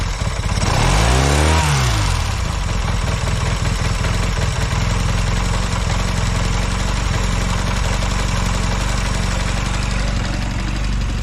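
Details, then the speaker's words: Velocette LE motorcycle after clutch and points adjustment and carb needle reset to middle position: brief rev blip then low even putter, smoother than before with no former miss or tick; normal smooth idle. "Seems a lot better. It sounds like it's running smoother at idle as well. It always used to have a little bit of a miss or a tick to it sometimes."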